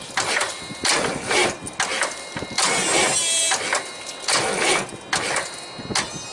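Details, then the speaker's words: Big truck, cold winter day, after cleaning starter cables and charging battery: labored uneven cranking, heavy stroke about once a second, no catch; weak crank, battery likely still low, starter or solenoid suspected. "well we're not getting quite enough power around here but it's good at least we're getting power every time I hit the starter so maybe it was just dirty cables up here"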